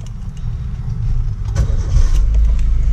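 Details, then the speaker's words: 2001 Suzuki Baleno DX manual sedan, nearly 20 years old: engine catches and settles into a low, even idle, slightly louder, smooth with no knocks, rattles or odd noises; normal start and idle. "halus teman-teman ya setelah kontraknya masih halus semua tidak ada suara-suara aneh ya"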